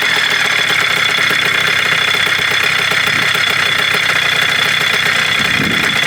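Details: 1987 Kawasaki KDX80 two-stroke on fresh premix, first start during restoration of a non-running bike: raspy crackle with an uneven, stumbling beat; keeps running but won't settle into a clean idle, which the owner says most don't.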